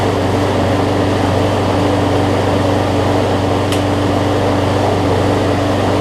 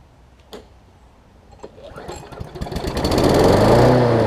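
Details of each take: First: John Deere JA62 push mower, about 15 years old, Briggs OHV Quantum-style engine with two-speed self-propel, after carb clean, running unloaded: steady even drone at constant speed, surging up and down just a little; slight no-load hunting, better than most. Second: John Deere JA62 push mower, about 15 years old, Briggs OHV engine, just after carb clean for gummed carb from sitting: catches after a few pulls and climbs unevenly, rising and dipping as it tries to settle; surging.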